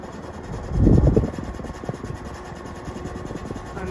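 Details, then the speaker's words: Fasco first-gen heat cycler ceiling fan with a Matrix motor rated 1.4 A, at full speed: a low motor hum with a quick, uneven light rattle, heavier early on; fan housing rattle, cause not confirmed. "you can hear the housing rattles a little bit"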